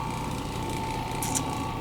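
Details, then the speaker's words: Carpet-cleaning orbiter, freshly tuned up, running on stairs: steady even hum with faint light mechanical whirr and no clunking, clicking or banging; clacking normally worst when tipped forward on the stair bullnose; running smoothly. "orbiter got that bad boy tuned up folks you hear that noise wait for it listen to that no clunking clicking and banging"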